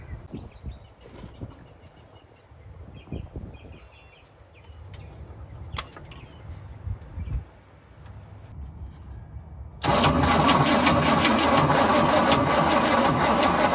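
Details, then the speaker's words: 1976 GMC C20 big block truck that sat 30 years, after a battery swap: quiet clicks, then loud, steady churning crank for several seconds without firing; a slightly burnt smell; owner first suspected no spark, but spark was later confirmed. "It's probably just been a while since this thing's ever been spun over. 30 years. My guess is we had no Sparky."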